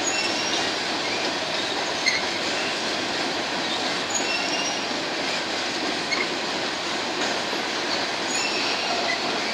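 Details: BNSF empty grain train at sunset, headed to North Dakota for reload, led by two GE locomotives: thin high-pitched squeal drifting over rolling rumble with a few light clacks; some wheels squealing on the rail.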